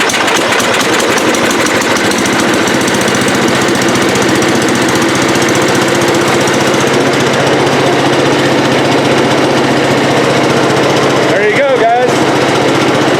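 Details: Cub Cadet 108 small engine, after fuel turned on during no-start troubleshooting with spark tester: steady, fast single-cylinder chatter at an even pace, no miss or stumble, running properly.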